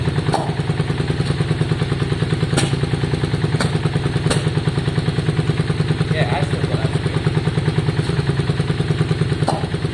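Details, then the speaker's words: 2002 Yamaha Virago V-twin after tank and carburettor cleaning: steady lumpy idle at about three beats a second with an occasional sharp exhaust pop; intermittent spit, owner suspects plug leads swapped altering firing order. "Okay guys, so we're just looking, it sounds okay, but it still has that spit."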